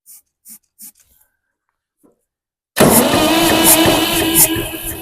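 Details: 1962 Massey-Ferguson 35 Super Deluxe tractor, 3-cylinder Perkins diesel, cranking after starting fluid and glow plugs; a few faint taps then loud steady cranking with a rough churn that never catches, only a little smoke.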